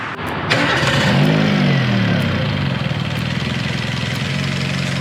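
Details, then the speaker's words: Daewoo Matiz Creative after addressing an air leak causing erratic airflow and rough running, cylinder 4 misfire noted: quick start with brief rev flare, then smooth, quiet, even idle with no shaking or hesitation. "공회전 이 이제 아주 안정 적 이죠 ?"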